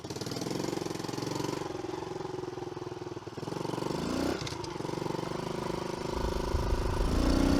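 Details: Early-2000s Kawasaki KLX110 after sprag clutch repair, carb clean and service: small single thumps at an even idle, revs climbing smoothly with no misses or pops; normal running.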